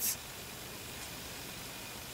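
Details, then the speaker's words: 2008 Dell Inspiron 530 Core 2 Duo after fitting a new Coolink SWiF2-80P in place of the CPU fan with worn bearings. Only a faint, even airy whirr, with the case fan still audible: normal quiet running. "wow that is well quiet I'm pretty impressed with that actually"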